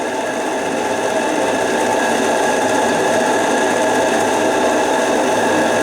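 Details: Repaired JMC 3 steam engine pushing the roughly 10 kg Lechalas RC steamboat at about 1.8 bar; burner seems to hold pressure: even chuffing about three beats a second steady under load, no knocks or rattles; healthy.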